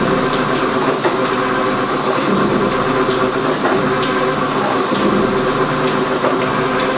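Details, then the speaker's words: Gould & Eberhardt 24-inch heavy-duty metal shaper, test run after startup: even, steady mechanical hum with light rhythmic ticking and belt slap, no knocks or grinding; runs really quiet, most noise from the belt. "Machine runs really quiet. Most noise comes from the belt."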